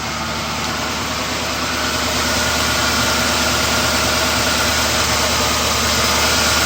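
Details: M45 after engine swap, first start: smooth even V8 idle with a steady low rumble, no knocks, ticks, misses or smoke.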